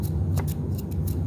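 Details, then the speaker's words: Hoover Air Steerable upright vacuum, new brush roll bearing hand-spun near the microphone: only a soft low whir, no grinding or rumble; bearing healthy. "Yeah, there's no noise at all. There's nothing. It's nice and smooth. No grinding, nothing."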